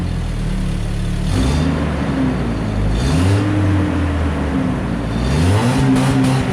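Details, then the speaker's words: Truck startup after the muffler replacement, cat already removed; owner thinks it may be overheating. Deep, even idle burble swelling smoothly through blips with no ticking or puffs; a normal exhaust note. "Sound better? Much better."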